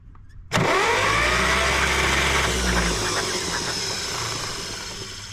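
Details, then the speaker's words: 1953 John Deere two-cylinder tractor, sat about five years, ignition coil jumped from battery positive: starter cranks the engine for a couple of seconds but it never catches; no spark, distributor cap found corroded, points to be cleaned. "No spark. Let's see if we're getting spark to the distributor. or not."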